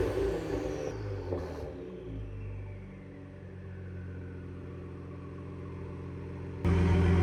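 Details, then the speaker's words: 2020 Ford Explorer ST after replacing a failing flex pipe that caused a rattle at idle and acceleration: deep, raspy exhaust rising on a rev and settling to a smooth idle, no rattle; smoke is only WD-40 in the pipes. "All right, let's listen to what she sounds like now."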